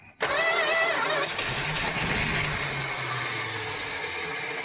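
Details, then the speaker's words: Barn-find 1976 Dodge Dart, registration expired 1997, tank empty, gas poured into carburetor: catches on first crank, settles into fairly steady idle briefly on poured fuel; fuel starvation, runs on primed carburetor. "I guess I should pour it in while it's running."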